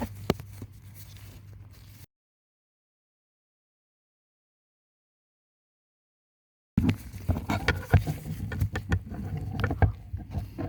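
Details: 2003 Honda Pilot: uneven clicking and tapping from behind the dash over a low fan hum when temperature set between max cold and max hot; temperature blend door actuator, fixed by cleaning and regreasing with dielectric grease.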